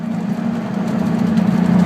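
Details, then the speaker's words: Even, settled idle with a steady low drone and no hunting or surging on an RB30DET-swapped turbo Datsun Z after the MAF-to-turbo pipe was changed; the former erratic idle now seems fixed, though the owner says it idles slightly lean; normal idle. "just the idle, man, it it seems to have fixed the the crazy idle just moving."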